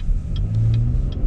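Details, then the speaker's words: 2019 Chevy Blazer RS at 1,000 miles, driving on regular gas: faint high-pitched chirps about every 0.4 seconds over road rumble; squeak of unknown source, to be checked by dealer. "Dang. I really want you to hear this squeaking."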